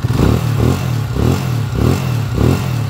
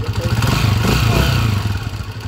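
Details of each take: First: Honda TMX155 single-cylinder motorcycle after overhaul (new seals, sprocket, clutch parts; previously rough timing gear noise), idling with an even low thump and gentle pitch swells, slight vibration; healthy normal idle. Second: Honda TMX155 single-cylinder motorcycle engine, third year, idling before overhaul: busy mechanical clatter over deep exhaust thump from rough, worn timing gear, possibly still the stock gear.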